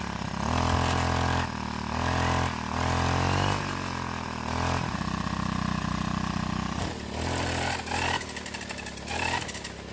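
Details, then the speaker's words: Four-stroke brush cutter revving up and down with a rough, rattly growl over the engine note; gear head suspected worn, probably not greased and needs grease. "ก็ยังทั้งที่หัวเจียรครับแบบนี้สงสัยหัวเกียร์จะไปแล้วนะครับสงสัยไม่ได้อัดจารบีครับ"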